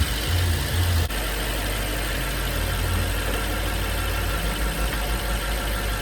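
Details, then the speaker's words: 2012 BMW 750Li twin-turbo V8 after DIY turbo coolant line replacement (leak had sprayed blue coolant over the alternator): smooth, even low idle with faint turbo hiss, no knocks, ticks or weird noises; running nice after repair. "as you can see brakes up not making weird noises you hear the turbos I mean if thing is running nice"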